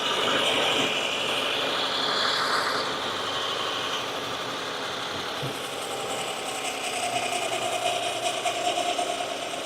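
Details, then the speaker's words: 2015 Subaru Forester restarted after belt refit: high whine drifting in pitch then settling to lower steady tone, intermittent; mechanic doubts it's engine, guesses transmission oil pump chain transfer gear bearing failing; unconfirmed. "I think the chain the chain for the transmission oil pump might have a a bearing on the transfer gear that's going out"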